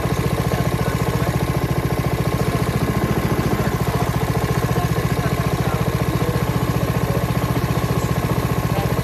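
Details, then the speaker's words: Honda HRX217HYA mower, under a year old and under 5 hours, after replacing the failed auto choke part: starts on one pull and runs with even, rapid pulsing and a steady drone, no misses or surging. "So starting was an issue with me. Now it starts one pull."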